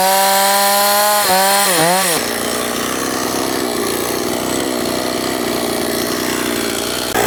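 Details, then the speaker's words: Old STIHL 026 chainsaw that sat about 10 years, with poor compression, leaking bar oil: revs with a wavering whine then bogs in the cut; weak cutting power, sounds worse hot. "Okay, not too bad, but not that great. Okay, so I didn't cut the wood too badly, but it sure does leak a lot of oil. And it does sound even worse after it's ran and it's hot like this."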